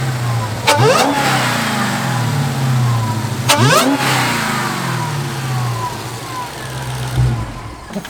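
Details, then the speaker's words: Wrecked Hellcat V8 after replacing broken coil pack and throttle part, fairly cold startup: two crisp throttle blips rising and falling smoothly, then even steady idle; normal revving, sounds good. "have listened to that all day long that sounds so good"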